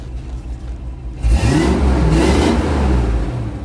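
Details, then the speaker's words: 1990 Ford Mustang repaired after crank-no-start traced to the distributor, with base timing set; quiet idle then a clean rev rising and falling smoothly without misses or knocks: normal running. "Yeah, all that dirt flying out from the ground. All right, we're golden. We did it. We're done."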